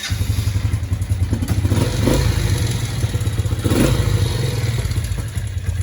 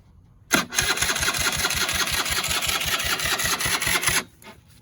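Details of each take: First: Suzuki LT80 quad, previously blown up, first start of the day with new key switch: quick fairly steady small single-cylinder thumping with a couple of throttle blips; idles once warmed up, normal running. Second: Barn-find Polaris Predator 500 quad on jump pack, starter system has a known history: about 3.5 s of labouring slow cranking that never catches; owner suspects loose connection or weak starter motor, not confirmed. No start.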